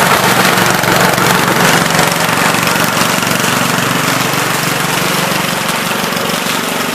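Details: 1970 Gravely Commercial 8 garden tractor, 8 hp single-cylinder, revived after sitting a few years, still cold before warm-up: steady rapid beat, even and unbroken, no misses or knocks; running pretty decent, normal running.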